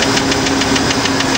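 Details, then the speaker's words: 1993 Ford F-150 with 4.9-liter inline six, at idle: crisp, even, light metallic ticking at roughly seven per second from the top end; a tapping present for years under the previous owner, thought not serious. "yes it is making a tapping noise however it's been like this for a while"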